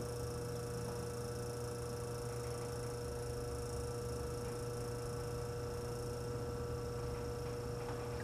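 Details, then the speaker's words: Antique Frigidaire 5400426 fridge compressor after service port install, rewiring and test refrigerant charge with a little oil: quiet steady low hum with faint higher whine, no knocks; current 3.2 A dropping to 2.3 A, evaporator cooling, running normally. "All right, I'm going for a start. Current's a little bit high, but it's running."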